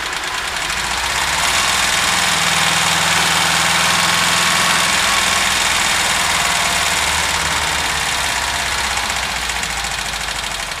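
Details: VW Vanagon T3 at idle: a steady, quick tick-knock of roughly three to four beats a second; strange smoke appears while the engine is cold.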